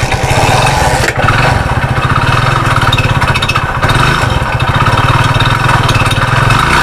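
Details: Hero Splendor single-cylinder, before repair, that made a noise, stopped and had to be pushed: heavy, uneven low knock, dipping as it nearly stalls and keeps cutting out; mechanic suspects the crank and will open the engine.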